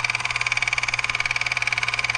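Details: Repurposed old cordless drill motor with a belt drive turning the inductor of a remote 80 m antenna tuner: high, thin whine pulsing about fourteen times a second, a tick on every turn, from one chipped tooth in the reduction gear.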